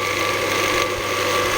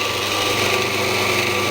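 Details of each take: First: Scheppach DMS 900 lathe after pulley and bearing replacement, pulleys shifted to the fast drive: steady high-speed whirr with a busy, chattering rattle over it, source not yet found. Rattle at high speed. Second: Scheppach DMS 900 lathe after replacing the pulley and bearings: smooth, even hum with a light whir, almost whisper-quiet, no screech or grinding. Before, it screamed, which the owner assumes was the bearings. Normal running.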